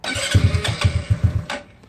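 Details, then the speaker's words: GY6 scooter after handlebar controller setup, cranking with kill switch set to run; about eight starter chugs in 1.5 seconds, stops without catching, won't start; owner suspects a poor connector contact. "Still not happening. Something, I bet you if anything, we probably didn't get a good contact on this guy right here."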